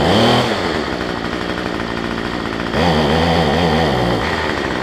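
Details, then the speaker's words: Cheap two-stroke weedeater number 2 on a new $6 replacement carb, primed about eight times and started, air filter off: uneven buzz with pitch wandering and surging; carb way out of adjustment and running rich, smoking heavily. "And once I get it started, I can adjust the carburetor, because these things are way out of adjustment."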